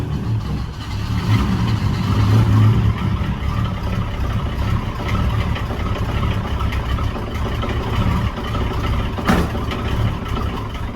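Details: Toyota 7M-GTE on first start after final assembly, with good oil pressure: very low, lumpy idle around 400 rpm, uneven and sagging, close to stalling; throttle position sensor was bumped while fitting the intake manifold and needs recalibrating.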